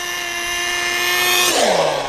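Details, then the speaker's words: Nitro RC car with new pull-start engine in cold weather: high, steady scream that sags and drops in pitch at full throttle; running too rich, bogging at top end, so the high-speed needle needs opening and retuning for the cold. "You can hear how it's kind of bogging down when it gets to top end. The high-speed needle needs to be opened up a little bit."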